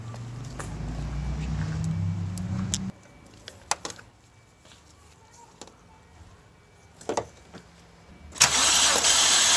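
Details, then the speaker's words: BMW 325i E90 N52 engine that burns oil, cold compression test on cylinder 1 with no oil added and fuel pump off. About three seconds of even, regular cranking without firing. Reading about 160, much better than before and healthy. "there you go that's a much better number 1 50 160-ish 160."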